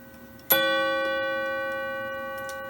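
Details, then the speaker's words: Antique 15-day mahogany clock, cleaned and lubricated, hammer and arm adjusted: a single clean strike on the coil gong rings and decays evenly with no buzz or rattle; normal gong strike. "when the clock strikes the hour and the hammer lifts up and falls down on the chime you hear how it resonates"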